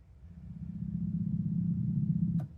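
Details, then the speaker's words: Roland FR-1x piano accordion switched on while wrongly set to FR-1xb button accordion mode: low steady growl for about two seconds with nothing musical, top keys growl and notes wrong; growl from wrong button-box mode. "Now, when we turn this on, it's going to make funny noises."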